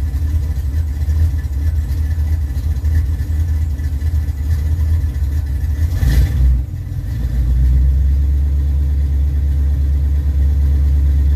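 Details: 1982 Camaro, 350 SBC .030 over with forged crank and rods, Vortec heads, Edelbrock 1405 carb, headers and Flowmaster 40s, at its first start in 2 years after a valve adjustment and carb rebuild. A deep, steady V8 idle with a faint exhaust-leak tick and a squeaky-belt squeal.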